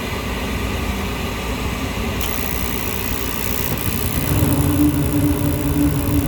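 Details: Lennox rooftop gas heating unit after heat exchanger replacement: steady rushing roar from blower and burners, a low hum joining partway, even and unbroken; healthy.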